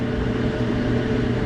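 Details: Whirlpool electric dryer, model WED4800XQ0, with a no-heat complaint, heating element drawing 22.37 A during diagnosis: smooth, even drum rumble and steady motor hum with no knocks, squeals or scraping; mechanical operation normal.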